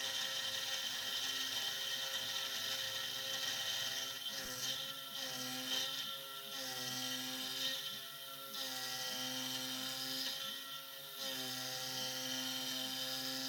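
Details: SX2.7 CNC mill conversion with NSK ATC spindle cutting a lathe leadscrew handle: high harsh screech in uneven bursts over spindle whine during the ramp, rough chattering cut, cause unknown.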